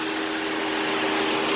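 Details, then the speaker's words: 2012 Chevy Impala fan problem, temperature sensor unplugged to test: the fan comes on instantly and stays on, possibly as a fail-safe, codes not yet cleared: a steady whoosh with a constant low hum and no wobble; cooling fans running. "instantly the fan is supposed to turn on you know kind of like this not you know not turn off it stays on"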